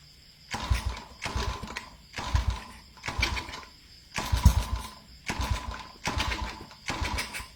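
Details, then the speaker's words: Honda CG110 rebuilt to 125cc with a 5-speed, first starts: repeated short cranking bursts about once a second as the engine catches briefly and dies. Hard starting because ignition timing and valves are not yet set and the carburetor is uncleaned. "อ่าระบบไปผมยังไม่ได้ตั้งนะครับก็จะติดยากหน่อยนึงแล้วก็คาบูยังไม่ได้ล้างนะครับ"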